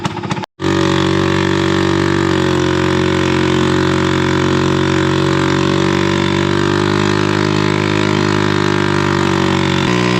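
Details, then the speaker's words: Three-wheeled Harley-Davidson golf cart on its first real test drive at steady speed: a very loud, raspy open-exhaust drone. The muffler needs replacing. "all right well so far she's doing pretty good but man is this thing loud definitely needs the new muffler"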